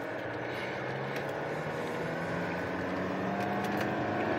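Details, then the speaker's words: 2010 Holden Cruze 2.0 turbo diesel, 6T40 automatic, 246,000 on the clock, code pressure control solenoid valve 4 stuck off, road test: engine drone climbs with no drive in second. Slips in second and sixth, third engages; solenoid or pressure leak suspected. "So it's still slipping. Won't go. If I toggle it into third, it'll go into third. So slipping in second and top gear."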